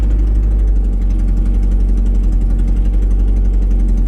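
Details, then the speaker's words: Peugeot 205 CTI after replacing the faulty tachometric relay: steady, even idle with a deep smooth hum, no misses or surges; it holds idle well, normal idle. "au final, elle tient bien le ralenti."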